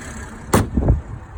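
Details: BMW M340i engine idle: low steady rumble with a sharp click and two softer taps from the 350 bar high-pressure fuel pump, normal.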